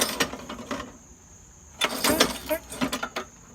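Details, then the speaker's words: Craftsman 21-inch mower with a Briggs & Stratton 550 series engine, pulled over by the cord: bursts of loose metallic clatter come from under the deck instead of firing. The blade is loose and freewheeling on the crankshaft and needs tightening. "That sounds like a loose blade, doesn't it? Yes, it does. That could possibly be one of the reasons they threw this mower away."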